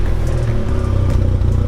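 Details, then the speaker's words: Toyota truck at idle after the leak was resolved: firm, even idle with a steady low rumble, no chain rattle or exhaust ticking; quiet and leak-free. "so i'll have john go ahead and hop in this thing and fire it up real quick so you guys can hear it or not here because it's quiet now it's a beautiful yoda very nice"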